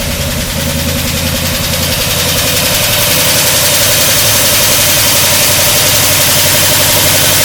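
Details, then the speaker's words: 1953 Oldsmobile Rocket Super 88 V8 barn find with new Edelbrock carb, next day on charged battery, choke wired: catches and settles into steady even run, slight high idle, no misses or knocks, warming up. Normal running. "that's that's the joke completely off not too bad let it warm up"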